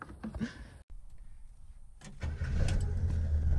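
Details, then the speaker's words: Chevrolet Nova project car after sitting for years, start before first drive: short crank, catches at once and settles into an even low rumble; normal start. "Breathe on her and she fires right up."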